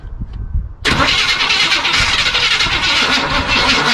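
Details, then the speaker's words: 1976 Chevy Cheyenne 4x4 truck pulled from the bush, first start attempt with primer in the carburetor while pumping the gas: starter catches, engine coughs and barks roughly for a few seconds; cranks but will not keep running. "I'm willing to bet that I'm not the only person who gets off work after having a truck bark a little bit but not really start up and run"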